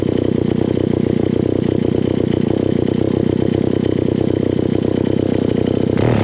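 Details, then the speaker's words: Old Alpina Pro 120 chainsaw, 120cc, after a TRK-23HS kit in its HS-144B carburetor: a fast, steady burble holding idle without stalling, running better. It still leaks from the back of the carburetor, cause unknown; low compression from a worn piston is suspected. "it's running okay it's running better than what it was it's still leaking a little bit out of the back of the carburetor here and i don't know why"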